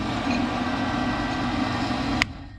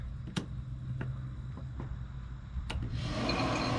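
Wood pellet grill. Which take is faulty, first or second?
first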